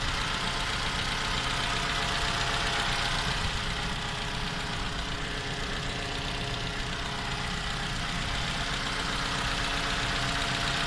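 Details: 2015 Toyota Camry 2AR, built December 2015, 16,500 km, cold start: steady idle with a light, regular tapping knock about four times a second, heard cold and for the first 10 minutes; source undetermined.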